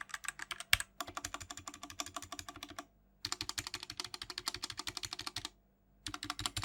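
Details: BlitzWolf BW-KB0 60% hotswap wireless mechanical keyboard: fast, steady typing with clacky keystrokes and a loose, hollow rattle on larger keys; stabilizers rattle a lot and sound bad.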